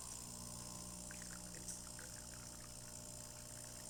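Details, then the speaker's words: DeLonghi Magnifica XS after service for brew unit jamming (broken mechanic valve replaced); rinse cycle after switching off once cooled, purging old coffee: soft pump hum with trickling, gurgling water, steady and unforced, normal. "And it's just purging that old coffee out. And it's back to normal."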